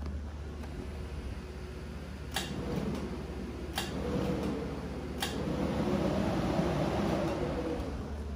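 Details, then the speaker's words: LS swap with Holley Terminator X Max, ignition on: steady cooling fan hum with sharp clicks about every 1.4 seconds as the A/C compressor clutch engages; fans and compressor working normally. "turning the ignition on here fans come on you can hear the compressor click"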